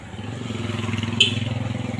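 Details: Honda Supra X 125 motorcycle at idle: a fast, even metallic rattle rides on the engine beat. The piston is loose in a worn cylinder liner; the rings are still good, so there is no smoke. Piston slap.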